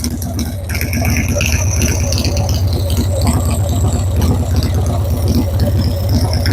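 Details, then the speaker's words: Motorcycle carburetor with the air-fuel mixture screw 3 turns out, idling at about 1,000 rpm: low steady putter with a light mechanical rattle, some lean cracking through the pipe, idling pretty smooth before the mixture is set. "So we're 3 turns out right now. But it sounds like it's idling pretty smooth."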